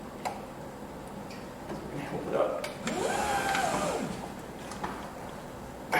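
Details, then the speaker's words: 2000 Corvette C5 hardtop, low mileage, driver-side power window: strained whine rising and falling about a second with rough grinding and clunks; owner suspects broken gear tooth in motor; regulator and motor assembly replaced. "okay something's grinding on the motor yo that sounds bad sounds like in the motor itself there's a broken gear tooth"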